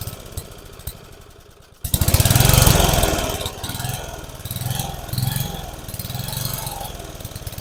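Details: About 30-year-old family lawn mower, temporary fuel tank setup: cranks, catches near two seconds, then speed rises and falls in waves under a second apart, acts like it's starving for fuel; carburetor suspected, not confirmed. Engine surging.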